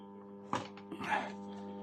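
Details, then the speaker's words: Tube radio under repair, hum heard through a small external speaker: steady low mains hum (AC hum) unchanged throughout, with a couple of handling thumps. "那我们现在，我们能听到什么？能听到交流声。"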